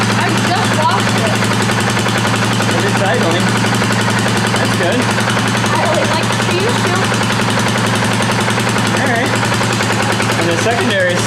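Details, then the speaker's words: 2018 Polaris Sportsman ACE 570 single after rebuild following mud flooding, at idle: quick, even thump with no knocks or misses; sounds pretty good, a little moisture still in there. "Actually sounds pretty good. Little bit of moisture still in there."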